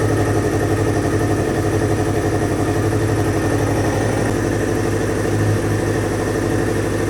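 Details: 2000 Kawasaki Ninja ZX-7R 750 with no tank fitted, just revived from no-crank/no-start with the fuel pump reconnected: steady, even four-cylinder burble at low idle while still warming up, no knocks or misses. Normal idle; owner thinks the carbs need cleaning.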